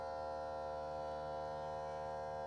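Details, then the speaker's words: VW California pop-up roof motor, button held until it stops at full open. Steady, even electric whine with a constant hum and no grinding or stalling: the motor runs smoothly to the fully open position. "your finger on until the motor stops, and that's the roof in its fully engaged position."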